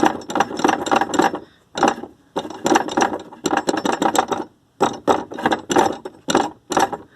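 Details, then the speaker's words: Car accelerator pedal, air-box hose removed: short flurries of light clattering knocks every time the pedal is pressed, and the pedal sits very differently from the other pedal; the loud rattle is attributed to a missing bushing. "aí ele sobe fica igual ao outro pedal aí fica fazendo esse barulhão aí ó"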